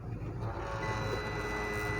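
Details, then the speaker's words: China UPS rear cooling fan on 12 V battery: loud, steady whirring hum with thin high whine, no rhythm; worn noisy fan. "बहुत ज्यादा आवाज है इसलिए उसकी friend की आवाज है"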